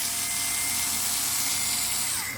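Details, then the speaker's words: Parkside PAS 4 D7 cordless electric screwdriver during normal tightening: a steady, rather loud high motor whine with a faint squeak, as if straining under load, then winding down. Cause unclear. "Lors d'un serrage normal, on entend un léger grincement, comme si l'appareil essayait de forcer un peu, mais on verra ce que ça donne à l'usage."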